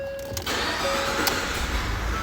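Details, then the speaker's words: 2013 Ford F-150 that cranked but wouldn't start because a floor mat held the accelerator pedal down, triggering injector-clearing mode; with the mat pulled back it cranks briefly, fires right up and settles into a steady run. "Fires right up."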